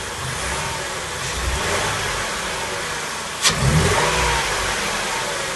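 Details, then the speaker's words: 2004 Mercury Monterey 4.2 idling with severe misfire on back bank cylinders 1–3 (P0300–P0303, P0316, P0171), popping and gurgling back through the intake; misfire physically damaged the catalytic converter, engine not breathing. "as I demonstrated when I started it up in here for you guys, you could hear it popping through the intake along with the misfire."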